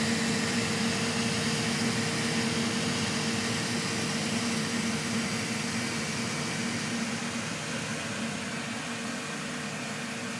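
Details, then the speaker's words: Elegoo Centauri Carbon 3D printer, new, during initial setup calibration: cooling fans at full speed, constant airy rush with steady low hum easing slightly at end; normal. "Also, you can hear that when the fan's on full with the door open. I'll shut the door and let you listen to the sound. But that's pretty darn loud."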